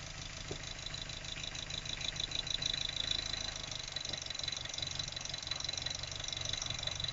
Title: MX5 Mk3 Rough Idle